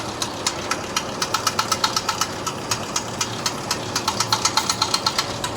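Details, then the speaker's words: Display chiller compressor switched off (contactor released, 0 V measured) yet steady hard knocking about four times a second continues; the noise stops when the contactor is pushed in and the compressor runs with the fan. "இந்த கம்ப்ரஸரில் ஒரு டிஃப்ரெண்ட்டான fault. Compressor of ஆன பிறகு sound வருது."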